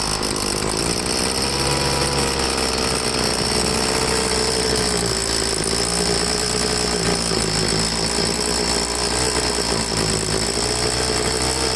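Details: Troy-Bilt two-stroke leaf blower after carburetor cleaning, started on half choke: a high, wavering note that hunts and sags, running rough. The primer bulb lost prime because the tank was out of gas. After refuelling and a slight carb tweak it ran good.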